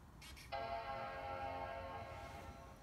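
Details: MacBook that gave three memory-error beeps, after reseating loose RAM and reconnecting the battery: at power-on a single rich chord holds for about two seconds and fades with no beeps; it starts normally.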